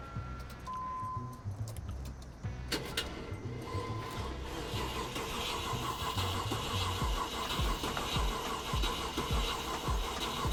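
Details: Land Rover Discovery 1; starter cranks steadily about two turns per second, fluid sprayed in with throttle held open gives occasional weak catches, but it never fires and runs; crank-no-start, cause suspected, not confirmed.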